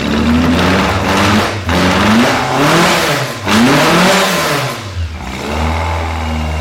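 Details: Fiat 127 engine, first start after a 5-month rebuild: blips up and settles back cleanly several times, even firing with no knocks or rattles; runs healthy.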